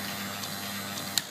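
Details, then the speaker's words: 1959 Ford/Edsel electric wiper motor, switch rebuilt with rivets replaced by nuts and screws, on the bench partly disassembled: even fast whir, steady pitch, one small click; runs smoothly on high speed. "okay that's slow speed that's high speed"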